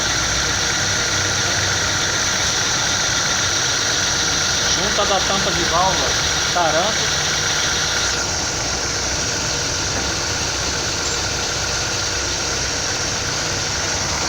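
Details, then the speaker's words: 2009 Chevrolet Prisma 1.4 with 150,000 km, brought in for a very loud engine noise, idling after repair: steady, even hum with no knocking or ticking; runs properly with no abnormal noise. "está aí funcionando direitinho sem barulho sem ruído anormal"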